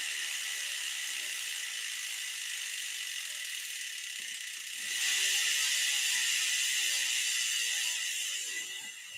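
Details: Stumpjumper mountain bike wheel being serviced for brake rub during a rotor change: the freehub ticks in a fine, even stream as the wheel coasts, with no scraping or rubbing. The wheel spins freely, normal.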